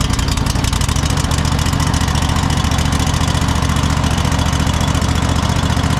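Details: Cub Cadet GT 1554 mower V-twin after sitting about two years, restarted after carburetor cleaning, tank flush, new fuel filter and fresh gas: loud, steady low beat at a fast even idle, no misses or surging; normal running.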